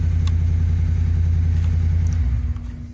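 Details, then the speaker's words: 2013 Ford F-150 XLT 5.0 V8, towed in as a no-crank no-start, running after a suspect intermittent connector was found: deep, steady, smooth idle rumble that drops away near the end. Runs normally, though wiring is still to be checked. "all right well while i got it running let me just show you you can hear the truck running"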